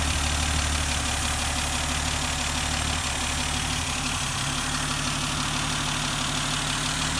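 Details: 1971 Dodge Demon, 198 Slant 6 stored in a garage since 1988, started on the standard battery with no starting fluid; steady even idle with a constant low beat, no knocks, misses or hunting.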